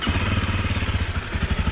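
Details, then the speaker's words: Used motorcycle with about 15,493 km, started and idling during a pre-purchase check: steady, even single-cylinder thump, firm regular beat with no knocks or misses; proper working order, no engine block problem heard. "There is a proper working order. Let's hear it from here. There's no trouble here. I understand that there is no problem with the engine block."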